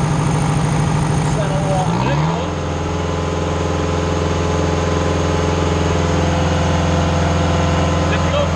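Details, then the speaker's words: Diesel engine on a Mayco hydraulic concrete trailer pump sweeps up to a steady, even full-throttle drone and holds it smoothly under pumping load; normal full-throttle running. "200 will do one more full throttle that way they hear what it sounds like when I knew it"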